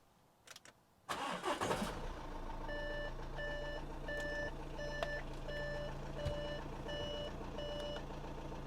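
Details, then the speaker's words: Crash-damaged Audi A6 C7 after rebuild and full service, fuel primed via diagnostics: the diesel catches at once after a brief crank and settles to a steady, even idle with a chime beeping; normal start. "there we go start it straight up"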